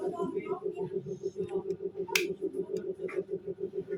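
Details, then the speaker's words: Honda Supra X 125 motorcycle that stalled, compression good and fuel present: slow even cranking about 100 beats a minute, no firing; spark plug found wet with water, being dried; water in carburettor suspected. "Ini ya, ini businya basah jadi kena air ya. Kita coba keringkan dulu."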